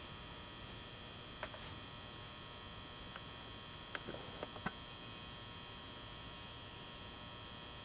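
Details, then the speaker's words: 400 W pulse-start metal halide warehouse high-bay lamp, likely mid-to-late-90s fixture never installed, switched on for the first time. Faint, steady ballast hum with light clicks in a quiet room, not loud: normal ballast hum. "has that characteristic hum of the ballast, but it's not loud, but you can hear it faintly in this motion picture."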